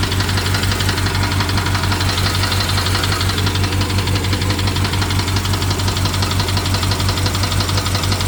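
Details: BMW 750Li with N63 V8 at idle after replacing the fuel injectors and high-pressure fuel pump. Sharp regular tick, about 1.5 per second, over an uneven misfiring beat; the owner wonders if it is the timing chain, source unclear.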